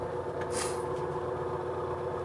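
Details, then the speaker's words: Washing machine after repair of strange spin-cycle noise (not bearings or mechanism): steady even hum in spin, noise gone, running silent with no knocking, grinding or rattling. "perfeito máquina lavar silenciosa perfeitinha tá bom"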